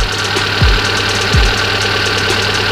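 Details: Fuel-injected car (tagged Hyundai), engine warm: fairly steady idle with light regular ticking and a low pulse roughly every second; normal warm idle.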